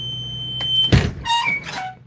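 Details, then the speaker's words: Bus rear emergency exit door alarm: a continuous high-pitched beep, then a quick run of warbling chirps. "that was the alarm here"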